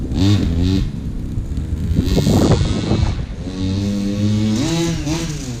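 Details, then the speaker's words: Old pocket bike with a small two-stroke engine, sat about 10 years, now running after tuning: it revs up and down cleanly, picks up crisply with no bogging or stumbling under throttle; normal running, no longer bogs down. "i had to tune it a little bit but it runs it doesn't bog down anymore it actually drives"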